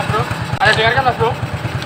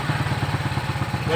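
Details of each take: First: Shogun 125 motorcycle after electric start: a steady low idle thump with an irregular on-off rattle, worst at low revs; inconsistent, so not connecting-rod knock. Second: Shogun 125 motorcycle after tightening a loose part that had caused a heavy rattle like a rod knock: quick, even low putts at about nine a second with no ticking or knock. Normal idle.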